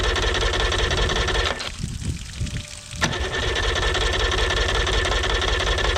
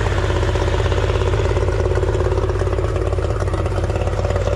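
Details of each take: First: 1989 Yamaha 30 hp two-stroke outboard, first start after exhaust gasket/seal repair: steady rhythmic cranking, about three turns a second, with no firing; won't start because the idle was off, so no gas was getting through. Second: 1989 Yamaha 30 hp two-stroke outboard after exhaust seal repair, in neutral: strong, even burble at a steady fast idle, no misses or sputter; exhaust now exits only through the propeller, gasket leak fixed.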